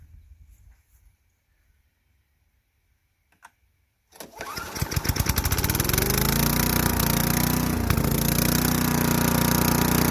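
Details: Craftsman Eager 1 4hp chipper vac (model 987.799790, auction flip) in chipper mode. A quiet pull, then it catches and climbs to a steady, even buzz while chipping sticks. Bent sticks don't feed through, but it chips fine. Normal running.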